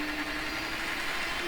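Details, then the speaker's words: Hornby model railway turntable converted to DCC, run at full speed; steady mid-pitched electric motor buzz over a hissy background, likely harmful to the turntable gears, so about a third speed is advised. "and you can hear really hear the motor buzzing away it's probably not going to do your turntabling gears any good"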